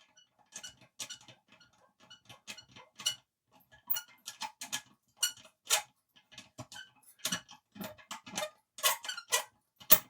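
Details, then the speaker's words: Old Mamod toy steam roller, possibly 1970s–80s, not run in decades: uneven dry ticks and thin squeaks about two a second; owner suspects long storage. "I don't think a steam engine should be making them noises. So, I'm guessing this has been sat for donkey's years."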